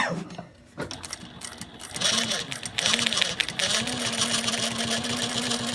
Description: Juki DLN-415 "Whining sound" - Annoying whining sound coming from the machine head when sewing at about mid range in the sewing speed.